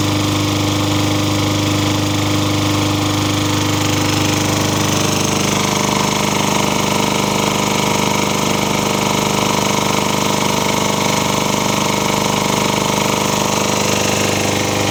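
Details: Toro engine swapped onto a Craftsman mower. It runs loud and steady with a regular tapping at about three or four per second. The owner suspects an early knock is starting, not confirmed.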